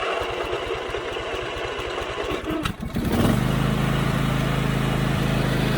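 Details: Husqvarna YTH24V48 riding mower twin after replacing the fuel-pump vacuum line and fitting the missing spark plug, choke on: the starter churns briefly, then it catches and settles into a smooth, steady, even run with no misses; normal running.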